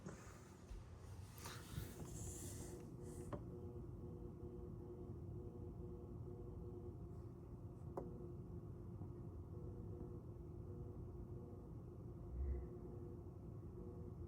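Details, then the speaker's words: Faint, constant buzz with a few fixed tones from the rear of a TCL 98QM7K TV, heard all the time; owner says it comes from the power or PCB rail, not the speakers. Cause suspected, not confirmed. "There's not much to show because it's the buzzing sound in the back that's quite faint, but you can hear it all the time."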